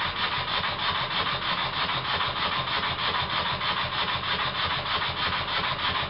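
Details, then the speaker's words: Very old Stuart S50 steam plant engine, reassembled with a new valve rod and valve timing set fairly accurately. Quick, even chuffing at about three beats per second with no knocks. Normal running with plenty of power. "I've set the valve timing fairly accurately and I'm surprised as it runs this well there's plenty of power as well"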